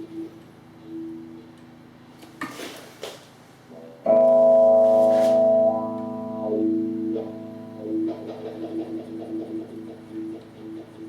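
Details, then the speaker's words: Second-hand wah pedal after being opened and cleaned, before contact cleaner: guitar notes sweep as the pedal rocks, with sharp scratchy crackles and dropouts on movement. Dirty, worn, scratchy wah potentiometer. "So you can definitely hear the scratchy pot there."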